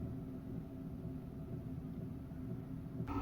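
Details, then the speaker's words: Diesel heater newly installed in a camper van, exhaust routed outside, hot air feeding the existing ducts: steady low combustion rumble with faint regular ticking from the dosing pump; heater running normally. "Bon ça tourne, je suis bien content."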